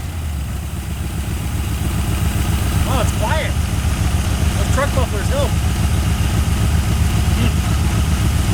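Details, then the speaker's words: 1981 Ford Mustang 5.0 V8, revived after sitting, with no radiator fan fitted yet: deep, even, quiet idle with no knocks or misses and faint background chirps, described as sounding really good. Running healthy. "wow it's quiet I can hear it wow she sounds good sounds really good"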